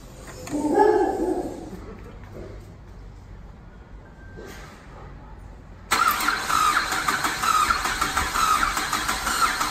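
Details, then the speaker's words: Ford FG Falcon ute on factory eGas LPG that repeatedly backfires hugely: quiet spell, then it lights abruptly and runs ragged and uneven, won't settle and sounds like no compression; strong smell of gas. "so yeah basically we get a backfire and then it sounds like it's got no compression"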